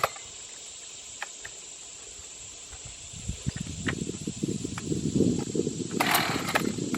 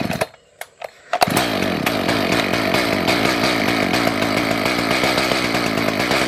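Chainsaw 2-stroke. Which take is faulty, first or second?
second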